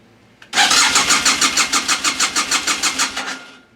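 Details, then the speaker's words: BMW F800 GS in a no-start condition cranking: quick even starter pulses, about six a second for three seconds, never catching; fuel pump heard priming, no injector firing suspected, code check next. "you can hear it's not firing off. It should have fired off right away."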